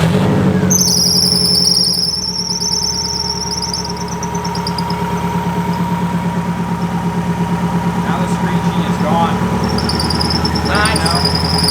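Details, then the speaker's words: Subaru EJ engine just rebuilt and dropped into the car, idling after fill with oil and coolant: a steady high screech over a rough, evenly pulsing idle. Confirmed belt squeal; WD-40 to be applied to the belt. "so yeah it's definitely definitely the belt yeah i'm going to put first i'm gonna put a little bit of wd-40"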